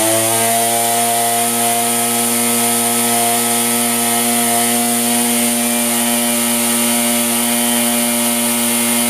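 Small two-stroke holds a steady, even buzzing note with no surging, misfires or stumbles; the trimmer engine is running healthy.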